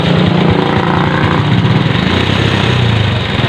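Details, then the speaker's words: Kymco scooter engine idling roughly with a busy clattering, knocking rattle over the exhaust beat; noisy timing chain and engine suspected, side covers, flywheel cover and chain assembly to be removed for inspection. "Now we hear the engine running and we hear that the engine is very noisy and knocking. The timing is noisy and the engine also."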